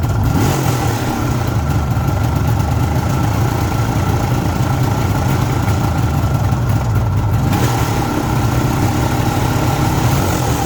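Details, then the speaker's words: Cold start of a 1974 Suzuki GT750 two-stroke, renovated about five years ago and little used since, not yet started that day, on choke: steady, even fast-idle burble with a strong low throb and no knocks or misses; a healthy cold start. "so it's absolutely cold i'll turn the ignition on as you can see it's absolutely cold not been started up today all you do is put the chalk on and"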